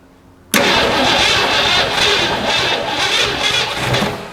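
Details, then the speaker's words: 1962 Mercury sitting abandoned 30 years, on original spark plugs, after fitting a new solenoid and priming the carburetor bowl: it catches at once with a ragged, hissy roar, runs unevenly about four seconds, then quits as the priming fuel runs out. "do you hear that no way no way 30 years and all it needed was a good solenoid"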